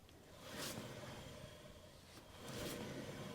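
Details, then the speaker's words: 1995 Ford F250 2WD, left front hub spun by hand with the hubcap off: a gritty, rough roar over slight brake rotor drag; bad wheel bearing, also heard as a whoa-whoa noise when driving; tires ruled out; to be replaced. "always hear a little bit of drag noise from the brake rotor, but there is a dirty bearing noise is all I can describe. It's like a rough, like roar noise in here."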